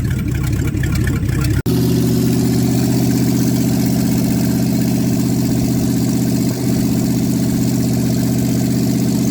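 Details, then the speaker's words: Carbureted engine with no exhaust pipes, cold start at about 10°C after sitting overnight; after a brief burst, deep loud steady idle with even lope; running healthy. "beautiful God that sounds awesome wonder how much trouble if I'd get in running straight pipes just out right in here"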